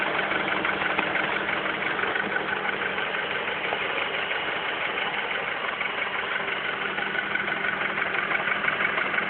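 Idling engine with a steady light tapping about three times a second riding over the hum, a knock of unknown origin.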